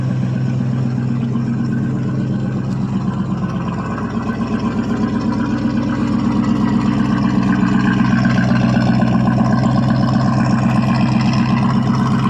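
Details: 1979 Chevrolet C10 Bonanza Big 10, 305 two-barrel V8, after cold start, runs and drives: deep steady idle with even loping beat, no knocks or ticks; healthy.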